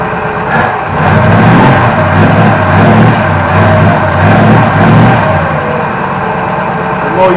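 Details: Holden HQ Ute six, petrol-primed after 7–8 years sitting: settles into a fairly steady idle with an even exhaust beat and no knock or tapping. Healthy normal idle.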